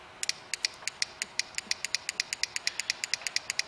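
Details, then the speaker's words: Car radiator fan relay bench-tested on a 12 V battery: crisp, evenly spaced clicks about seven a second with no buzz or chatter; relay switching properly. "hopefully that's coming through camera now once you can hear relay clicking you know you're okay"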